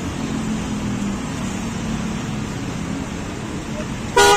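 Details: Honda Jazz, Denso snail horn tested to replace hoarse, possibly water-damaged horn: steady street hiss, then short, loud, clean honk with strong steady tone; horn working properly.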